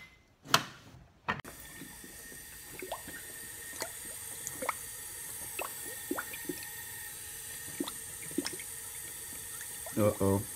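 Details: 2004 Honda Civic with a check engine light and a rumbling, stumbling cylinder 3 misfire. With the injectors pulled, air pushed into the cylinder makes irregular gurgling pops and bubbling in the coolant: a leaking head gasket, confirmed fixed after repair.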